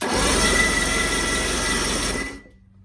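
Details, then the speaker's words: Engine on a boat sunk in a pond, spark plugs removed, batteries charged: steady fast cranking at about four turns a second with a wet, spitting hiss as water shoots out of the cylinders. "I took out the spark plugs, and you can see that whenever I try to turn it over, I don't know if you can see that, but a whole bunch of water shoots out."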